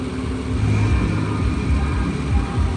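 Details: 2008 Nissan Altima 3.5 SE engine running before removal for sale. It runs very smooth, rising and falling evenly through a couple of revs with no knocks or rattles: normal free revving.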